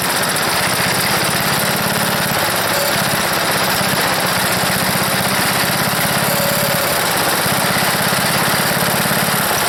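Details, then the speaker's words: Small wood chipper engine at full throttle, choked, runs loud and fast but its low beat shifts unevenly every few seconds; rough sputtering running, owner suspects a bad carburetor float and dirty carburetor, smoking and leaking fuel. "that it sounds like a sputter but boy that's a job pulling it i choked it all the way but it's got a bad uh float i think it's definitely firing it's got a real bad float"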